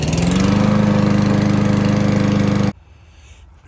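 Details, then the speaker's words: Honda HRC216 mower (GCV-series engine), just pull-started on choke with original carburetor: uneven lope around four beats a second, then dies; faulty carburetor, later replaced. "All right, so I just pull started it. It's on choke. Just running like a dog."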